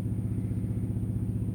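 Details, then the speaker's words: Truck with Cummins ISX engine and 13-speed; its Tri-Pack APU with bunk heater running: a steady, even low chug at a fast constant rate with no knocks or misses. Owner spent about $2,000 on APU repairs over two months; it now works fine. "Now, I don't know if y'all can hear it, but it's got a tri-pack APU on it that does work."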